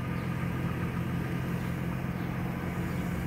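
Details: 2004 Chevy Trailblazer LS, 4.2 engine, 171,463 miles, just started after a leaking loose gas line was reconnected: a steady, even low idle rumble with no knocks, misses or stumbles. The engine runs well.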